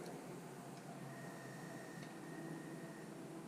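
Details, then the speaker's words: Disc drive of a GameCube (one of three bought used) spinning up after a potentiometer adjustment; faint steady whine over quiet hum with a soft tick about every second, drive labouring to keep reading the disc, may not last. "I might have spoke too soon sounds like that drives really struggling to keep up"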